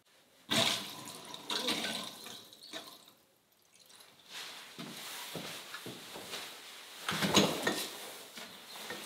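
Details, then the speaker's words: Newly connected mains water supply in a self-built house. Water runs steadily from the outlet with splashing and handling clatter; no leak heard, flow normal, two fittings still to tighten. "Dù sao thì chúng tôi cũng sẽ nghe thấy nếu nó bị rò rỉ. Nó trông không tệ."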